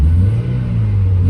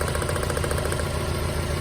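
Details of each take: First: Mazda Miata, warmed up, after curing a misfire (bad injector, running on three cylinders) with new plugs, wires, fuel filter and fresh fuel: quick throttle blip with a deep, even exhaust note, no stumble, all four cylinders firing. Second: Mazda Miata running on three cylinders: lumpy uneven idle; plug pull shows cylinder 3 dead though coil and plug spark; bad fuel injector found as cause.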